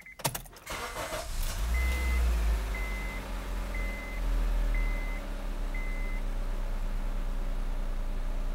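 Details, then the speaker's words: 8th-generation Honda Civic after throttle body cleaning and an idle relearn meant to fix low idle, surging and stalling: quick crank and catch, then a steady low idle without hunting or stalling, under door chimes. Normal start. "all right so I'm right at about the 12 minute mark my idle seems to be idling pretty good"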